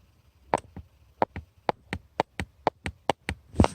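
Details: Lada Vesta cold-interior cricket: sharp dry plastic clicks about four a second as the plastic air-duct tunnel under the centre console/glovebox rubs factory sound insulation; vanishes once warm, padded with Madeleine tape.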